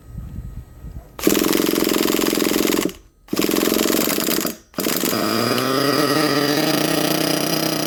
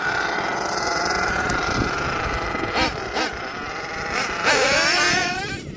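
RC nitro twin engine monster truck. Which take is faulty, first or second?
second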